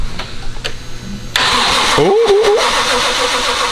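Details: JZ engine swap, first cranking after wiring and coil pack install, not meant to start; starter engages sharply, even rapid crank without catching, healthy cranking.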